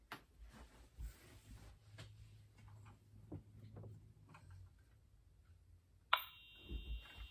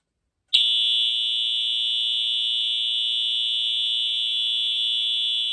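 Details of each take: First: EH-24S fire alarm horn/strobe on a 24 V DC supply: a thin, steady high-pitched tone starts after a pause but is far too faint; strobe works. Owner suspects a capacitor that drives piezo sound amplification. Very quiet horn. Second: EH-24S fire alarm horn, restored unit powered from a 24 V supply: steady, high, buzzy note that cuts in sharply and holds evenly, slightly raspy and stuttery as these horns typically are; horn works normally.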